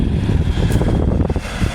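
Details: Haier 5K BTU window air conditioner, salvaged from a barn and cleaned and bleach-disinfected, test on high fan with no ducts fitted: a steady whoosh of air with an even rumble and no knocks or rattles. High speed is normal.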